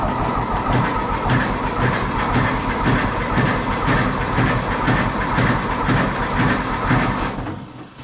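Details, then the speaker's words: Smoky 1960 John Deere 1010 diesel cranking after glow plug preheat: slow cranking at about two beats per second with occasional weak firing from two cylinders; the owner suspects the other two lack working glow plugs. "kind of hear those two cylinders trying I think if all four of them had glow plugs it would start"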